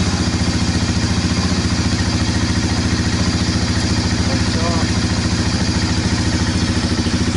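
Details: 1998 Honda FourTrax 300 ATV, cold start after new battery installed, charging 14 volts: steady even single-cylinder thump about three and a half beats a second, no knocks or misses; running normally.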